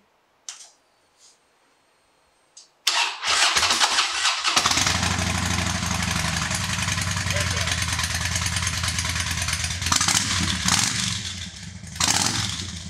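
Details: 2007 Harley-Davidson Dyna Wide Glide after misfire troubleshooting, filter changed and fuel quick connect replaced, first start: a few clicks, then the V-twin catches quickly and settles into a steady, even lumpy idle with no stumbling or misfire.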